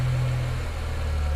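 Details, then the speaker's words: BMW 335i N54 with Chinese 17T hybrid turbos and new inlets, first start after install on E85 tune; steady even idle, no rattles or knocks, oil at about 70°, sounds healthy. "So that's at idle. That sounds good."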